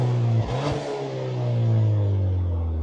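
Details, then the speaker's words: Cheap high-mileage, recently serviced Ford Fiesta ST bought with an issue: engine starts well and its smooth, even note swells and settles with the throttle, no knocks or rattles; healthy running. "There you go, starts up well. And as you can hear, the engine runs really well."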